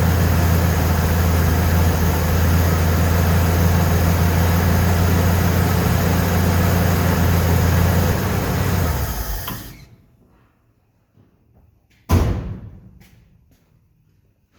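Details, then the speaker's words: 1969 Ford F100 in the garage after Pertronix electronic ignition install: steady deep even idle for about nine seconds, then shut off; a door bangs afterward; runs normally. "so it's running it's running."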